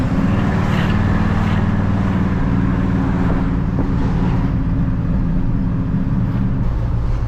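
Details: 1981 Chevrolet squarebody truck with new exhaust system, driving through suburbs: deep, loud V8 rumble carries steadily under way over light road noise, no rattles or leaks standing out; a sound exhaust.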